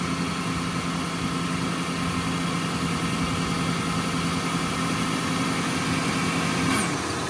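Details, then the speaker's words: Toyota/Lexus 1UZ-FE/2UZ-FE V8 idling after the drive belt tensioner pulley bearing was replaced with a 6203-2RS: smooth, quiet idle with a faint steady hum that fades as the SAS pump shuts off; sounds healthy. "Oh, it's off now. Now you guys can hear the engine."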